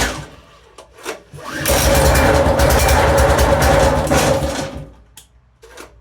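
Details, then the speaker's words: Small single-cylinder engine on construction equipment running with a steady, even putter after the recoil starter was cleaned and lubricated with WD40; it sounds much better, though the carb still needs cleaning. "That does sound much better. I think we're going to have to bowl off the carb and give that a clean out."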